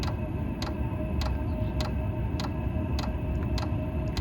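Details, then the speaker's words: Diesel air heater running with fuel pump set to lowest 1.6 Hz (max 5 Hz): crisp evenly spaced clicks about one and a half a second over steady low heater roar; normal dosing pump clicking. "ust and now you hear the pump clicking so when I'm inside the basement I don't hear the clicking at all and it doesn't really bother me"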